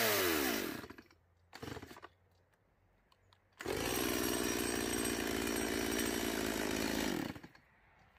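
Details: Stihl MS170 chainsaw under cutting load after a new fuel line and a swap from a non-adjustable Chinese carburetor to the original Zama: short blip, then a steady, even high buzz for several seconds, no stumbling or surging. The no-start is fixed.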